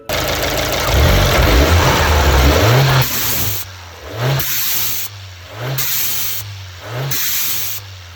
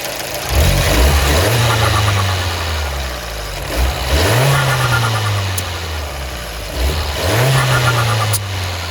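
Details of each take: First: Fiat 124 Spider Abarth turbo with Forge atmospheric blow-off valve, after massaging out the kinked vacuum hose: four revs, each lift-off followed by crisp short hiss; blow-off valve venting properly after fix. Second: so you can see it's even worse it barely vented the first time it actually didn't vent at all and i gave it enough throttle that it should have and the other two it barely vented at all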